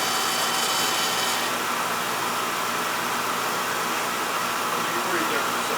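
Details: Older Beckett oil burner that was tripping safety and not firing, restarted after clearing an oil tank blockage and purging air, FF jumped out: steady even flame roar, no sputter, pulsing or cutting out; firing cleanly.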